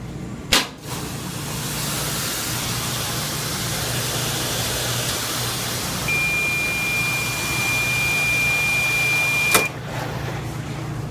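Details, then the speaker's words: Small Dexter front-load washer after replacing a faulty door lock solenoid that caused intermittent buzzing: steady even hum and rush, no buzzing, runs normally. "everything's good no buzzing and we're all set to go"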